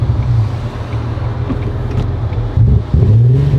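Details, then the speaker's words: Fully built supercharged NSX (450whp on dyno, freshly tuned) on first test drive, dies and won't stay running: rough uneven low rumble with lumpy stumbling and surging, bad misfire and stalling; vehicle speed sensor suspected, not confirmed. "It's misfiring so bad. Oh god, this is bad. This is real bad."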